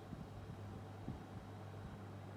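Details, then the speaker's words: Indola 10-inch desk fan on high speed: very faint steady low hum with a soft airy hiss, even and smooth, no rattle or ticking; normal, very quiet running. "person to her it's still really quiet Al put a good amount of there considering it's like basically silent yeah that's that's the maximum amount of noise this fan makes it's really quiet for some reason"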